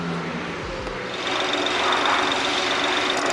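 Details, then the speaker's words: BMW 640i GT (B46/B48/B58 engine family) running with coils swapped between cylinders: uneven, stumbling, lumpy idle with buzzy top end; cylinders 2 and 3 still misfire, so ignition coils ruled out as the cause. "똑같이 2번 안 터지고 3번도 안 터져. 똑같이 2, 3번이 계속 안 터지네."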